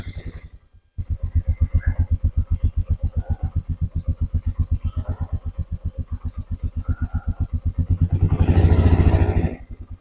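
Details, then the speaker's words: Polaris Dream Machine started after sitting about a week: starts promptly, settles into an even chugging idle about four pulses a second, then clean brief rev; healthy start and idle. "Let's crank it up and see what happens. Haven't cranked it in a while. It's been probably a week at least. Cranks right up, buddy."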